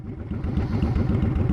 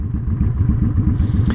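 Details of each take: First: Honda Shadow V-twin with Cobra Streetrod Slashdown exhaust fitted in place of stock, idling, recorded from about ten feet away at the end of a parking stall: deep, loping, steady uneven thumps, no knocks or rattles; normal idle. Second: Honda Shadow at idle after fitting a Cobra Streetrod Slashdown exhaust: a lumpy V-twin with soft, irregular exhaust pops. The stock exhaust popped too; the carb has long needed tuning and bigger jets are recommended for this exhaust.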